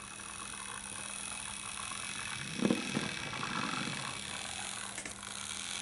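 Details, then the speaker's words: Farish Pannier loco after sorting motor issues and adding an extra wheel pickup wiper; small motor whirs steadily with faint buzz as it creeps, noisy but said much quieter than before; normal running. "Now that is noisy if you compare it to a modern day loco, but I haven't got any record of this thing when it was playing up, so you'll have to take my word that this is significantly quieter than what it was before."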